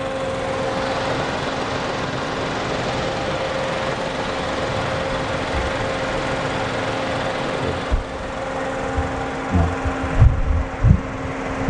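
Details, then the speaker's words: 2016 Suzuki Karimun Wagon R GS, 1000cc engine, idling with the AC switched on: still smooth and even with a steady low hum, no compressor noise, knocks or other sounds; normal healthy engine. "setelah kita hidupkan Asep pun tidak ada suara dari sektornya atau suara-suara yang lain di di mesinnya masih halus mesinnya masih suaranya masih halus"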